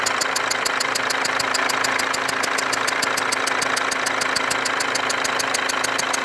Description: Motorgeräusche und Auswirkungen eines undichten Injektors beim Mecredes W204. Neben eingebrannten Dieselrückständen im Bereich des undichten Injektors ist auch ein starkes Tackern und Pfeifen in diesem Bereich zu hören.